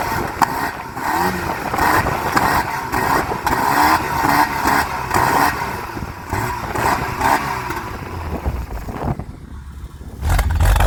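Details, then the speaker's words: VW Mk3 Jetta CLi 2.0 8v with old exhaust (Cowley rear muffler and Tuffex resonator), revving: hollow tinny can-like boom as revs rise and fall, later traced to the Tuffex resonator; exhaust resonator drone. "Ek het nie daai tyd geweet dat die tuffex resonator die probleem was Dit het so 'n hol blik klank gegee"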